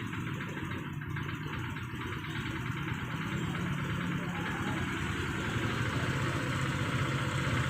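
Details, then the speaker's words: Honda Vario 125 scooter after cleaning the dirty idle actuator and throttle body and setting idle: even low putter holding steady at 1500-1600 rpm, no stumbling or near-stalling misfire as before; normal idle. "stasionernya sudah enak ya Eh 1500-1600 ya udah stabil enggak kayak tadi tadi seperti pincangnya seperti busi mau mati orang udah enak mudah stabil ya stasionernya"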